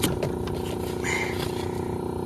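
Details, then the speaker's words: Fujitsu Halcyon ductless unit showing error 5 amber, 9 green (compressor motor fault), running in heating on auto at 68: a droning hum with a rough, fast, pulsing flutter, indicating abnormal, strained compressor noise. "but again I don't like that compressor sound that was bad"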